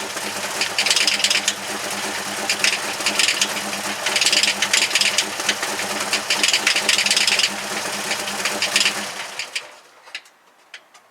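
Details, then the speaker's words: Jeep TJ engine first started with fresh gas added. Fast, uneven metallic ticking and clatter while running, then shut off. An engine knock of unknown cause; the engine is to be pulled and rebuilt. "It started up and drove. It does have an engine knock. I don't know what that is, but we're going to pull it out anyway and then determine what actually is causing that."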